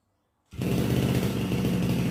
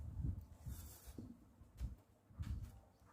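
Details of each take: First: RBC411 two-stroke brush cutter, after straightening the blade tip bent by hitting a stone that caused shaking: steady even buzz with a rough low drone, no knocking or rattle; normal running. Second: Makita RBC411 two-stroke brush cutter, which had been noisy near the clutch housing before it started shaking violently: quiet at first, then a harsh buzzing run with a fast shudder, caused by bent blade tips.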